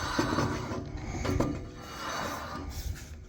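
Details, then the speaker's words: V6 Corolla swap, front wheel turned by hand: slow, uneven scrape catching once or twice per turn as the rim rubs the brake caliper, even briefly locking; everything tight, pads new, wheel simply too close. "you can see it right there right here's what we're trying to fix it hangs up on it a little bit right there"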